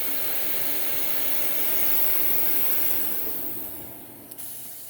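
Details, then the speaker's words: Dyson DC39 vacuum shutting off after a HEPA filter access disassembly: the airy motor rush fades as it spins down, with one soft click near the end as the valve assembly closes; normal shutdown. "we can hear that assembly closing whenever we shut the machine off or opening whatever then"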